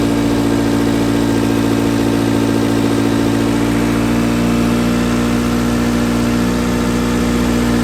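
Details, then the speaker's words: Car after cleaning a carbon-clogged throttle body with carb cleaner, following rough running and dying: steady, even idle with smooth low hum and no stumbles, charging about 14 V; normal idle. "so it was just a dirty throttle body to have this car running like new again now it's not running rough it's running happy"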